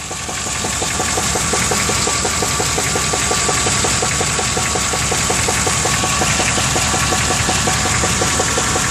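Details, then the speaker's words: Truck engine sold as rebuilt with 10,000 km, knock began two months later, noticed after an exhaust change; recorded underneath at the torque converter: sharp regular knocking about three per second over steady warm idle, much louder there; cause unknown. "So we'll take a little trip down there, see what it says, what it sounds like. There's the torque converter. The knock's a lot louder down here."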